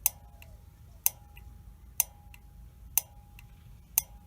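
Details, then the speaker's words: Honeywell gas valve on a water heater with no status LED blinking, testing the main burner valve: sharp single clicks about once a second in a quiet room, each with a faint ring. The valve opens normally, so it is not the fault. "so now we're going to test the main burner valve and you'll hear the same thing if it's working it will click you'll hear a clicking noise which is that valve opening up"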